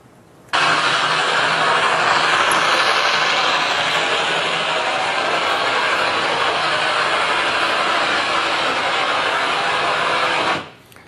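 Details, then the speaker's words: Ultrasound recording while greasing a 600 hp motor that drives a compressor gearbox turning 13,800 rpm: dense, rough crackling hiss from the bearing as grease is pumped in. "it had not been greased in so long that the grease had dried out so when we pump grease in there we were getting good grease in and then every once while we'd get some dirty grease or some dried grease and it would crackle in the bearing until we finally pumped through and got it all sound and cleaned"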